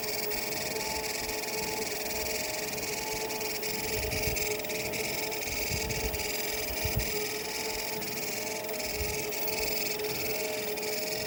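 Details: Treadmill running before the drive belt is removed: a steady high squeal and whine over a soft motor hum.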